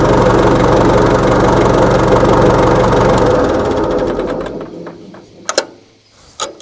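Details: 1960 Massey Ferguson FE35 4-cylinder diesel tractor, first run after sitting long in a paddock: even, steady chug at about four beats a second, then winds down and stops; runs normally.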